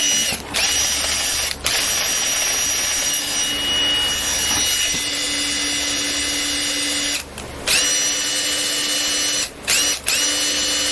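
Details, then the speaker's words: Makita DTD146 cordless impact driver after full maintenance and hammer-case greasing, free run: high steady motor whir with faint uneven tone, fading as grease spreads; slight abnormal noise. "มีนิดๆหน่อยๆของเสียงผิดปกติคือเพียงแค่ตอนนี้ดูเหมือนมันจะหายไปแล้วคุณเพียงแค่ปล่อยให้มันทำงานนิดๆหน่อยๆปล่อยให้มันเผาน้ำมันในกล่องและกระจายออก."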